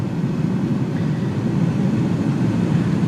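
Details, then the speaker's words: Blower motor driven by Power Probe IV pulse output at about 50% duty cycle: steady low whirring air rush with an even hum, no ticks or rubbing; blower running cleanly at medium speed. "Now we should be able to increase speed. Its time at ground is longer, the speed's getting faster, and we should get to a medium point where it's, you know, 50-50."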